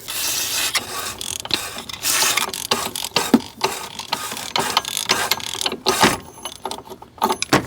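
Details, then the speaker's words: 2008 Subaru WRX, seized alternator turned by hand before a new belt: rough, gritty ratcheting grind in uneven bursts as the pulley starts moving, then it frees up and spins; seized alternator bearing. "All right, it is moving. It's not the greatest sound in the world, but it is moving."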